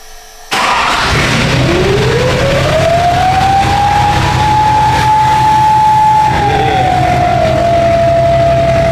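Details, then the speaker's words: Diesel truck start with RDS 9-blade turbo, after previous turbo destroyed running without air filter: fires, clean turbo whistle climbs then settles over even idle; healthy start and idle. "I'm telling you guys, that RDS 9 blade sounds so good."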